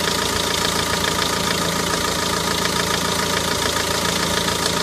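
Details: Renault Megane 1.9 dCi diesel at idle after replacing damper pulley, tensioner and belt to fix a squeak: steady even clatter, no squeal or chirp; normal diesel idle.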